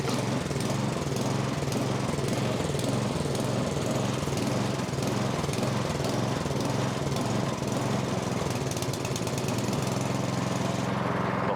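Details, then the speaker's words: MTD snowblower with fuel in the tank, on a little choke: engine hunts at roughly two surges a second, never settling to idle; fuel-starved lean surging from a probably plugged pilot jet. "It's starving. It's coming apart again."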